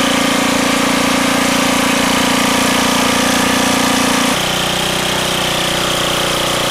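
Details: Old roadside-find rototiller after engine oil change, gear oil top-off, new wheel and lever: steady, even drone settling to a slightly lower, smoother note partway, no misses or knocks; runs good.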